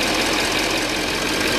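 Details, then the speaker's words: Chevrolet 2500HD 6.6 Duramax diesel idling after fixing 8 gallons of gasoline mistakenly added to diesel tank; cranked a bit then fired; even diesel clatter, steady beat, no misses or stumbles; running smooth, left running while checking fuel filter for leaks. "sounds like it's running good up there down there I always want to double check it"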